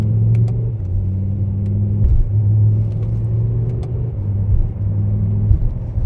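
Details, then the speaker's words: BMW M6 with S85 V10 swapped to a DCT gearbox with shorter final drive, on-road drive: a brief misfire-like stumble between gear shifts, actually the DCT adapting to torque information during development, while the shifts stay smooth. "so in between these shifts you can hear a it's almost like a misfire but that is actually the DCT now trying to adapt to the torque information I'm giving it"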